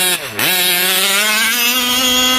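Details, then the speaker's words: Small-bore RC buggy two-stroke, OBR 34 reed engine, cold weather: revs to a high buzzing wail with a burbling, blubbery edge on top, running rich while cold, clearing as it warms. "yeah you can hear it it's a little blubbery on top but i'll give it a minute to warm up"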